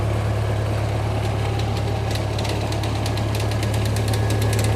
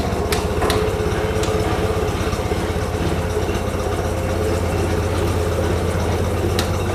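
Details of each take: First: International 184 tractor idling after sitting outside a while: a steady low idle with a light chatter about three times a second, likely an access panel rattling against the frame; the engine otherwise runs smooth. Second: International 184 tractor, after sitting outside a while, following several minor fixes: steady low even idle at about four firing pulses a second, no knocks or misses; faint chatter likely an access panel rattling against the frame.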